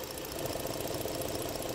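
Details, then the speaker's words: 2011 Ford Edge 3.5 Duratec V6 idling, with the EVAP purge valve disconnected: fast, even popping, pumping pulses of suction at the valve; the valve was later found failing and replaced. "now you guys can hear this hear it popping hear that noise that pumping sound"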